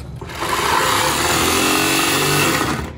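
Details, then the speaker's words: 1961 Morris Minor pickup, first start attempt after sitting, battery only: steady high whir for about two and a half seconds with no cranking; starter spins without engaging flywheel, owner suspects insufficient power or poor ground. "you're the starters turning but it's not turning the engine it's not engaging with the flywheel"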